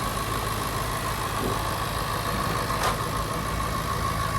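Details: 2010 Jaguar XFR idling after repair with new spark plugs, ignition coils, fuel injectors and fresh oil; exhaust smoke at first start from sitting fuel. Steady, even idle with a smooth low rumble, no misses, knocks or hunting, no check engine light; running well.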